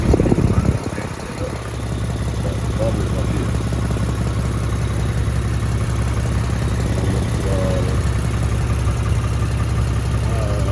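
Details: Lexus GS350 AWD after its cracked exhaust pipe was patched with a clamp. A smooth, steady, low idle with no ticking or exhaust puffing; normal idle after the repair.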